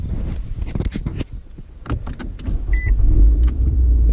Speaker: goes you can hear now that clicking that's the gear shift interlock unlocking so you can pull back on the gear shift